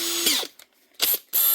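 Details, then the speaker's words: Makita DHP486 cordless drill with a new chuck: crisp run of fast ratchet clicks as the chuck is tightened fully, then a smooth spin; the chuck ratchet locks normally. "Then when you get to the top then, you should hear the clicking of the ratchet tightening up fully."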